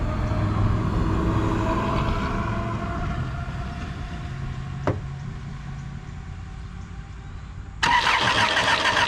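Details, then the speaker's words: 2005 Chrysler Sebring 2.4L cranks but won't start after a plug change; the starter spins the engine fast and evenly, never catching, and camshafts aren't turning, so the timing belt has broken (or gears stripped). "we are not turning so that means timing belts broke down in there or the gears are stripped out"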